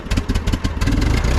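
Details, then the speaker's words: 1939 Ford 9N tractor converted from 6 V to 12 V, cold start with clutch in, neutral, throttle slightly up from idle. Starts right up into a brisk, evenly spaced putt with light clatter. Normal cold idle. "Let's see if it starts. Clutch is in. Here we go. Nice, starts right up."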